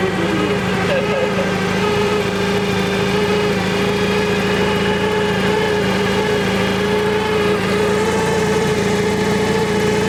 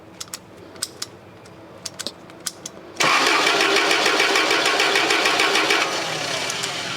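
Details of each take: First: Toyota forklift that had not started in two years, running after spark was restored and ignition signal loss code 09-1 cleared; even, steady engine hum with constant pitch and no misses or knocks, holding a smooth idle. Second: Toyota forklift that died suddenly and sat unused for two years: after a few clicks the starter spins the engine evenly but it never fires; crank, no-start with no spark.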